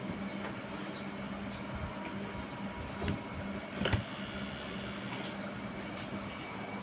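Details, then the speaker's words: Changhong 21-inch CRT TV that won't power on, indicator lit, after transistor and flyback swapped: steady low buzz then thin high whistle; the substitute used flyback is also faulty, the original was shorted. "masih bunyi dan akhirnya saya ganti lagi free baiknya ternyata playback yang untuk penggantinya tadi juga rusak ya"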